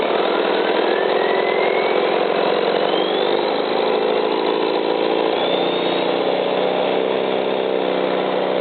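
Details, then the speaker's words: Isuzu 4BD1-T diesel on first start after owner's first rebuild, run briefly without cooling water before fitting to an FJ60 Land Cruiser; steady, even idle with no knocks or misses, note easing down midway; running like a champ. "all right don't want to run her too long cuz I don't have it hooked up to water but uh seems to be running like a champ"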